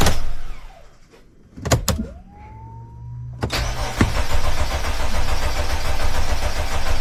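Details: Mercedes Sprinter van 3.0L diesel, after engine oil cooler replacement with coolant and oil refilled: short priming whine, then fires straight away into steady even idle, no knock or misfire; check engine light went off, no dash lights, healthy start.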